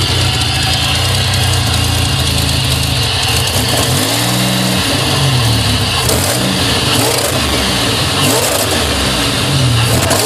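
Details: 2000 GSE petrol engine misfiring on cold morning start, no codes: uneven stumbling beat with occasional sharp backfire pops over a light injector tick. The misfire goes away once warmed.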